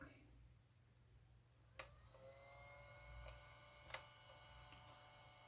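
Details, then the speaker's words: RC car electronics cooling fan powered by an external 6 V NiMH supply after diodes were fitted to cut its speed; only a faint, steady hum with light clicks, now quiet and barely audible. "voilà donc là ça fait un bruit tout à fait raisonnable qu'on n'entend même pas"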